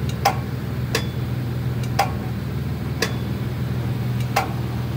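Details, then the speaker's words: Scag Tiger Cub mower, PTO switch already replaced: turning the key gives a sharp single click repeating about once a second over a low electrical hum, engine never turns over; repeated clicking, no crank. "you pay attention you hear a little noise the key turns and it just makes a click sound but that's about it"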